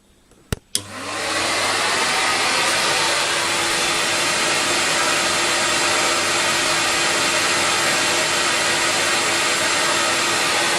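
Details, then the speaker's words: Roughly four-year-old CamVac CGV286 twin-motor dust extractor running one motor with a baffle tube pointed away. A steady, even rush of air with no rattle or whine, under 75 dB; runs normally. "that's under 75 so it's actually really comfortable working there's no harsh in the ways it's not ear piercing it just sounds like air rushing out of the fighting in the actual fact that's what it is"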